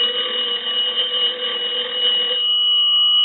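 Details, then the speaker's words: Kellogg cathedral-top wooden wall crank telephone, with added circuit isolating magneto from the line: bright, rapid, even bell ringing for a couple of seconds, stopping cleanly; ringer circuit working normally. "so now what we can do is we'll go ahead and ring the telephone"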